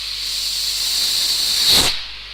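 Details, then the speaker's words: Car at 2,500 rpm after tailpipe blocked for backpressure test; loud rushing hiss swells then cuts off as tailpipe uncovered, big gush of water shows exhaust moisture: trapped exhaust gas and water expelled after releasing blocked tailpipe. "And you'll also notice the big gush of water, just showing the amount of moisture that does come through a exhaust system."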